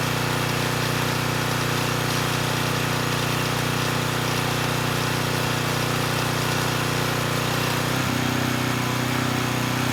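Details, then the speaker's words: Coleman Powermate Pulse 1850 generator (engine built 1996) after carburetor repair, running under a space heater load slightly above its 1500 W rating. It holds a steady drone at about 62 Hz, with a brief dip as the load shifts, and keeps 114 V; runs normally under load. "i think we're in pretty good shape the generator is only rated at 1 500 watts and this space heater actually pulls slightly more than that and i was able to maintain voltage of 114 volts so i think we're good there"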